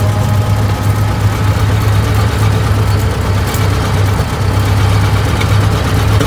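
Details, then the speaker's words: 1920 Ford Model T barn find, sat about 10 years, first start after carburetor cleaning and points work, hand-choked: low, uneven lopsided idle on only one or two cylinders, timing being adjusted; misfire from stuck valves, low compression on one cylinder. "it's really only running on one or two so it sounds like one sounds like the the 199 brush having a little issues here see what we can come up with but it's definitely not running good"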